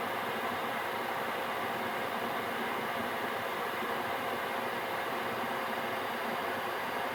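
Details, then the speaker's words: Gearlasso 8kW 12V/24V Chinese diesel heater switched off via app after manual-mode run, CLP residual-oil burn-off: steady even blower rush purging and cooling, no pump ticking or burner roar, until it returns to standby; normal cool-down fan run after shutdown. "And it will do that for a couple of minutes until it's finished burning the oil off until it's cooled down a bit. Fan will run again in a moment and that will be it off again."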